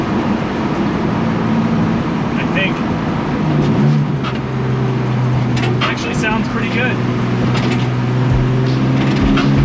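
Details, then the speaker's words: M54 BMW-swapped 1968 Ford Mustang, 5-speed, on the highway, holding temp with good oil pressure: steady drone and road roar with sharp irregular scraping bursts as rear tires rub the fenders; tires also unbalanced. "As you can hear, it scrapes the rears profusely, so. It's like an aircraft, actually."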